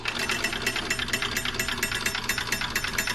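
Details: DunHot popcorn popper from an estate sale, after tightening loose top screws that had been vibrating: light, quick, even ticking at a steady pace with no buzzing or rattling; it runs quietly and normally.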